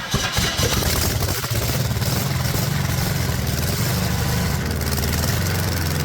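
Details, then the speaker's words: Cheap Ford 460 V8 from neglected farm truck, first revival run on original mechanical fuel pump: catches and runs rough, rpm wavering and sagging; fuel starvation, mechanical fuel pump found dead; oil also seen leaking at cylinder one, possible head gasket. "Fuel pump's no good. Fuel pump's dead."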